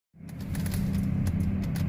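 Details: 2010 GMC Terrain: quick, regular ticking about six per second over a low idle hum, from the key switch and a relay; everything else works and the clicking stops when the auto lights are turned off.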